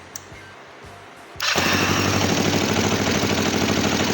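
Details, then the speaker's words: Kawasaki GPZ 500 cafe racer, hard starting and misfiring: twin fires and settles into a lumpy, slightly uneven idle beat; carburetors out of balance, to be synchronized with the adjusting screw. "Están descompensados y vamos a darle al tornillo."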